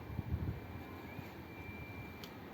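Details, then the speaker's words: Fiat 500 central locking after harness repair and door latch fix, operated by key fob: quiet background then short crisp clunks as doors lock and unlock; actuators working normally. "unlock and you can see it's working cuz you can see the handle on the other side look lock unlock"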